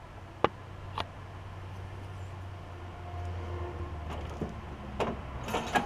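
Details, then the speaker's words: Troy-Bilt Bronco lawn tractor running on concrete after new drive and deck belts and deck repairs. A low, even engine drone with a few handling knocks and no belt squeal; the deck is about half as loud as before. "the deck is a little quieter I may start it up and just let you hear it is going to be a little bit loud on the concrete but uh the deck seems to be probably about half as loud as it was"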